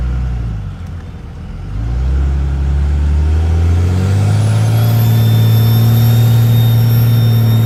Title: Cummins hx35 turbo whine